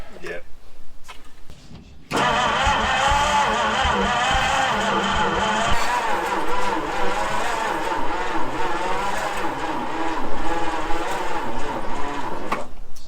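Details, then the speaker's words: 1966 Ford Galaxie 390 big-block V8, first start after sitting 35 years, no gearbox: catches after a short crank then runs ragged with an uneven, wandering beat and surging idle; not firing evenly, cause not confirmed. "wow runs like crap but after 35 years runs wow you beauty"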